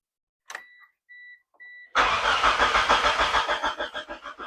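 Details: Mitsubishi Eclipse (2G, 4G63 turbo) cranked with the fuel pressure regulator removed to check for fuel at the rail: warning chimes, then the starter churns at about 200 beats a minute without firing. Fuel came out, so the regulator is suspected bad.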